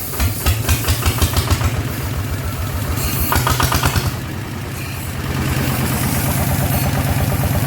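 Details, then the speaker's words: Single-cylinder RT120 diesel upgraded toward 15 hp with a performance cam (not valve-relieved), starting and idling after the build; steady thump of three to four beats a second settling into an even idle, sound judged okay. "อ่ะโอเคนะครับสำหรับเครื่องนี้นะครับถือว่าอ่าใช้ได้นะครับอ่าเสียงก็โอเคนะใช้ได้อยู่นะครับอ่ะเดินเบาได้นะครับ"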